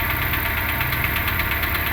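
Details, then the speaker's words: 2008 Renault Logan 1 at idle: a fast, light, evenly spaced ticking and rustling over the idle. It is absent at startup, appears about 1:25 after starting, grows, is audible in the cabin and may always have been present. Engine ticking noise, cause unknown. "Его даже в салоне слышат. То ли стук, то ли шелест, не поймёшь."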